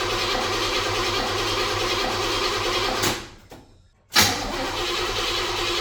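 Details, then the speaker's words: 1978 Chevrolet Monte Carlo SBC 305 (5.0) V8, rebuilt 2004 and probably under 50 miles since, rebuilt Edelbrock Performer 1406 carb not yet adjusted; on cold start it drones steadily, dies for about a second, then catches with a sharp burst. Stalling on cold start, carburetor suspected. "Technical difficulties on the cold start, so let me see what I could do and get it going, and then we'll get back on. After many tries, I finally got the Monte to stay on."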